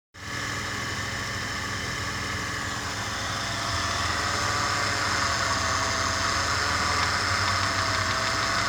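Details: Engine at steady idle with a regular knock of around four per second riding over it, from a loosened connecting rod. Rod knock.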